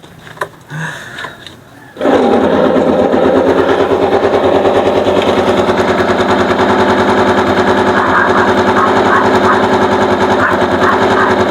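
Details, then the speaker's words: Bonus Sport SR motorcycle stored about a year, carb overflowing: after a quiet start it fires into a harsh, rapid, grinder-like rasping clatter at idle, caused by the magneto rubbing. "Okay mga sir ang naging problema base sa checkup na ginawa natin ito siya oh kumakaskas yung Magneto dito sa ano makaskas dito kaya para siyang may kumakayod Ayan po ang naging problema"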